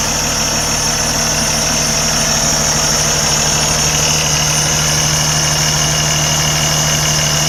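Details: Start of a 2013 Kenworth T680 tractor in great shape: the diesel settles cleanly after starting into a steady, even, smooth low-rumble idle with no knocks or misses, a normal healthy idle.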